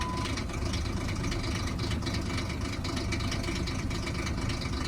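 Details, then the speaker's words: High-mileage 2002 Ford Explorer SportTrac, 4.0-liter, two-wheel drive, warm idle: fast metallic chatter over the engine that quiets with a little throttle; timing chain failure rattle, common on these 4-liter engines. "Give it a little gas, it gets a little quieter. And like I said, this is very common on these this is very common on these 4-liter engines."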